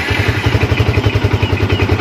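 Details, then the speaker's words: Yamaha Vixion motorcycle showing MIL code 46, battery 13.2–13.3 V engine off; steady single-cylinder thump about ten even pulses a second, no knock or rattle; normal idle despite electrical fault code. "untuk hidupnya Ya seperti ini ya Roman Oke dan tidak ada kendala di sini ya tidak ada kendala tidak ada laporan apa oke"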